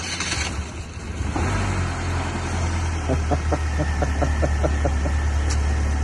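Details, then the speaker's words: Flood-damaged, fully submerged drive-by-wire Pontiac Solstice on first start after a battery swap: steady low engine hum settles in after the start with light even ticking on top. Idling smoothly and healthy. "I cannot believe it. I cannot believe it. It's running beautifully."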